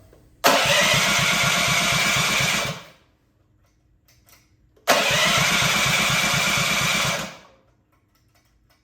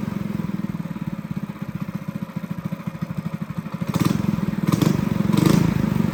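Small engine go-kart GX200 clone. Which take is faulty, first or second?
first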